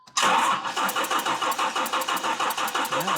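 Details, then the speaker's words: GMC Typhoon, first start after sitting 21 years, on jumper, checking for spark: fast, uneven cranking pulses with rough buzzing, won't catch; a weird unidentified noise from the rear, fuel pump later found dead. "we got some spark, all right. We still got that really weird noise in the back. I can't figure it out."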